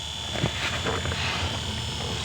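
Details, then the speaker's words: Hyundai Starex H1 heater blower motor, tested after repair (new brushes and commutator, top bearing lubricated): a steady, even whir with a faint whine and no scraping. The blower runs normally and its speed changes are audible. "I have already checked all the work, even the speed is audible,"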